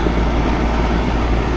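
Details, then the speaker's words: Package-unit air conditioner after replacing a failed capacitor: compressor and fan run with a steady heavy low rumble and rushing air, expelling hot air outside, with no clicking or hum; working normally. "Ya el calor de la casa lo está expulsando por la parte afuera ya del exterior entonces amigos básicamente aquí lo que teníamos era capacitador dañado"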